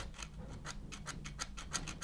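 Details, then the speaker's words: Bosch Easy Shear blade: sharp, uneven ticks about four a second as a knife is dragged along the blade, catching on a slightly bent-up burr from a nick (likely hit a stone), causing the shear to lock; burr to be removed with a knife. "it's catching here yeah so this bit here has been bent up ever so slightly you know it's had a little Nick"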